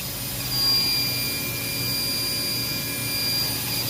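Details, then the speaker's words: Trane RTHB 450 screw chiller during a PM: steady high hiss of escaping gas over the chiller's drone. Both condenser pressure relief valves are venting, with oil around their threads, and are condemned for replacement. "you also see a bunch of oil up around the threads of it and both of them are going off like crazy so i'm gonna condemn both of those"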